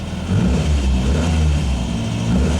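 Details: Ford Fiesta MK1 at idle after replacing alternator bearings that caused a chirp: smooth steady low idle, no squeal or chirp from alternator, charging about 13.6 V; normal idle.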